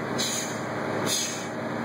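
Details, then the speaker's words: Truck in a CDL air brake test, parking brakes set, transmission in neutral, air built from 90 psi: steady idle, then two short sharp hisses as the governor cuts out normally at 125 psi. "Okay, now let's listen for that kick out. Okay, it has a governor on it. Okay, we got one."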